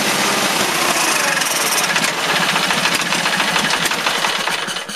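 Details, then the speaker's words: Case lawn tractor, 20 hp Onan, warm day, primed with gas after long dry storage, gas line hooked up: catches, runs rough and uneven seconds, then dies; owner suspects weak fuel pump or dirty carburetor. "Well, it was there for a second, but it's all been dry for so long. That fuel pump may be weak, or the carburetor may need to be cleaned."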